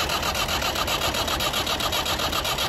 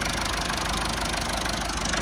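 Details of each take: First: Massey Ferguson 290 diesel tractor cranks steadily, about two and a half turns a second, but never catches; air is being sucked into the fuel lines, and the fix is bleeding the injectors. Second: Massey Ferguson 290 tractor diesel after a no-start caused by air drawn into the fuel lines, fixed by bleeding the injectors; even, steady diesel clatter at a settled idle; normal diesel idle.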